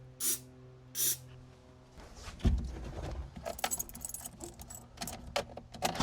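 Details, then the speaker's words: Wrecked 1974 Alfa Romeo GTV 2000, built 2.0L with dual Dellorto carbs, long sitting, good compression in all 4 cylinders, plugs good, cranked on starting fluid: ragged firing bursts catch briefly but won't keep running; owner suspects old fuel turned to gunk. "It was trying to. A little bit more. Oh, it runs! So it turns over, which is huge, and it was trying to run."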